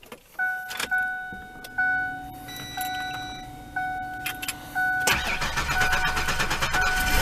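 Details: Ford Explorer just after a new starter solenoid was fitted, where before there was one click and nothing: several clicks and short beeps, then the starter turns briefly and the engine fires and settles into an even idle. It starts normally.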